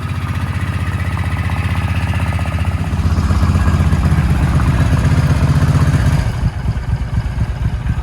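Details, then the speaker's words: Suzuki Boulevard C50 (VL800) V-twin that had seemed to run only on choke, now warm with the choke off: a low, steady, even thump idles smoothly. Rough running was traced to being out of gas. Normal idle. "about that hers she just purrs like a little kitten oh my goodness"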